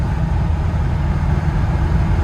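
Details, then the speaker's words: 1974 BMW E9 driving, with a Carl Nelson exhaust and idling slightly high: a deep, even rumble with no knocks or misses, a little tinny or whiny. Normal running, much better than after the shop visit, where an air pocket from replaced fuel lines was suspected. "it sounds 1,000 times better than it did when it came back from the shop."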